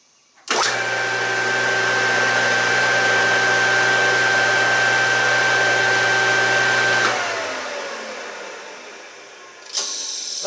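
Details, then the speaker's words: Newly installed Vevor electric motor replacing the bad original on an Ingersoll Rand air compressor, first test spin with no pulley fitted: smooth, steady hum with an even high tone, spinning up cleanly and coasting down without knocks or grinding; motor runs normally. "Now what this is going to tell me is I made the right decision that my motor was bad. Nothing in here was bad, which I checked that. Let's just turn it on, see if the motor spins."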